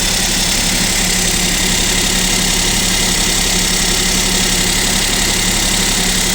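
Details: Kia Picanto 2 1.0 G3LA, cold start at about -7 °C: light, fairly quick tapping knock through the idle; owner suspects piston knock and wonders if an overhaul is near.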